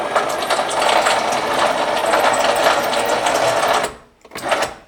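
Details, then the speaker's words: Subaru Sambar sunroof, cable tubing loose for testing after a repair: steady raspy grinding whirr for about four seconds as the cable is pushed through its guide tubing, sounding a bit better with the tube loose; tracks cleaned and lubricated. "having this bit here loose it does sound a bit better let's sort of grind as it pushes um the cable through"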